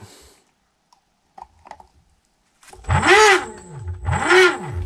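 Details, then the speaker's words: Xiaomi M365 scooter hub motor with one phase deliberately disconnected, running on two phases: harsh growling surges with pitch swooping as it strains at start; in use this points to a loose connector or a burnt controller phase component. "le moteur force il fait un bruit on démarrage qui est horrible pourquoi parce que il lui manque qu'une phase"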